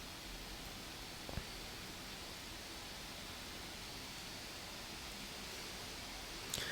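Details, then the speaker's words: Lenovo Y540 17-inch gaming laptop, about 2 feet away, undervolted and under Cinebench load: a steady, even airy hiss at full fan speed with no ticking, rattle or wobble, and the CPU stays under 90°C; normal. "Alrighty, so we're at full fan speed again, but as you guys have probably noticed, we didn't even hit 90 degrees Celsius this run through."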